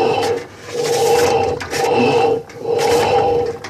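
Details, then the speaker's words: Electrolux washing machine motor creaks in squeaky bursts about once a second, louder when washing under load; noise is in the worn motor bearings, not the basket bearings. "Porque nessa hora o motor está fazendo pressão, puxando e levando peso. Tá? Isso significa que esse barulho está no rolamento do motor. Nos rolamentos do motor e não nos rolamentos do cesto."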